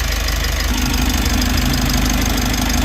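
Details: Mitsubishi L300 4N14 diesel with P1276 check-engine code, after fuel filter change: steady idle with even clatter, no misses or hunting; check-engine light still on before code reset. Normal diesel idle.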